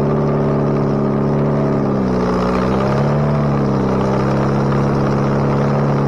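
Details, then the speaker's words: Bobcat 642B skid steer after head gasket replacement, working: strong deep drone dips and recovers as load changes, then settles steadily with no knocks; runs pretty good now. Normal running. "it runs now runs pretty good so if it ever stops raining i'll take it out and do some work with it"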